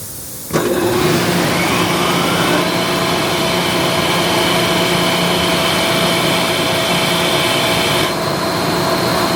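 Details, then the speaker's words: Ingersoll Rand SSR-EP60 60HP air-cooled rotary screw compressor, 98,485 run hours, restarted after blowdown: motor kicks in with a thump, then steady whir and whistling rush as the intake opens and it loads; normal startup. "So I'll start it up again. You can see the intake opening up."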